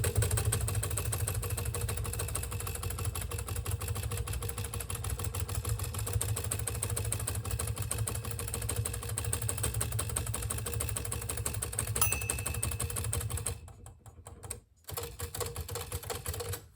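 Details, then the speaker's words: Hermes 3000 typewriter after reinstalling the carriage to fix grinding: brisk keystrokes and carriage advance, a clear bell, then a smooth return; normal, healthy carriage sound. "Yeah. The bell works fine. And there's this is a normal and healthy carriage sound."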